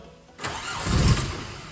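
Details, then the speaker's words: 65k-mile VW Corrado G60, machine hooked up for the first start attempt: starter spins the engine with uneven chuffing that swells but never becomes a run; extended cranking, no start yet. "Oh God, it's getting closer. Oh, come on. Right, I think we're nearly there."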